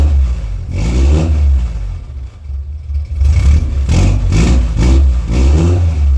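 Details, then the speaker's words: D50 fitted with a newly built homemade muffler, at idle with several throttle blips: a deep, even exhaust burble with no rattles or leaks that sounds better than before and similar at idle. "I think it sounds better. I think it kind of sounds similar at idle. Can't wait to hear it on the power. But it definitely sounds better."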